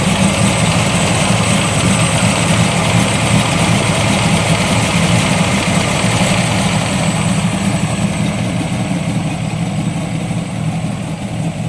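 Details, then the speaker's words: Classic Corvette V8 on radial tires at idle; a deep, even idle holding steady with no misses, knocks or rattles, running smooth and healthy. "sounds good smooth too"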